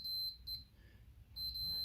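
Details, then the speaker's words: Logitech G910 keyboard W key tested with a continuity beeper: on a slow press the beep cuts out mid-travel and returns, pointing to a physical switch fault. Key switch dead spot. "every time it goes slowly there's also a double tap so it's definitely something physically wrong with the switch"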